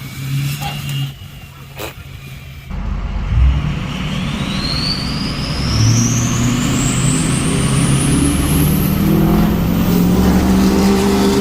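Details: 6.0 Powerstroke truck with a newly fitted bigger turbo, recorded on a windy drive-by: a rising high whistle climbs over the deep diesel rumble as the truck pulls past, riding on wind noise; healthy, normal turbo spool.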